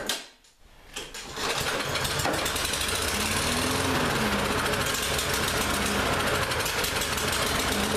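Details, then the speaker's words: Lawn-Boy mower that ran last season but wouldn't start this season, after repeated start attempts: catches and runs unevenly, ragged and hunting; carburetor still partly gummed up, carb cleaner planned next. "so we've gone from a no start condition to it runs it doesn't run well so that tells me that carb is still a little gummed up"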